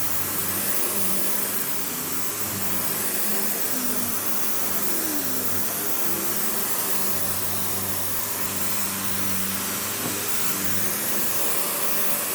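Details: Panasonic upright, one of the last sold in the US, base plate refitted, bare-floor switch, auto height adjustment, brush roll auto-stops when upright: steady even motor roar, smooth airy hiss, no knocking, rattling or belt squeal; running healthy.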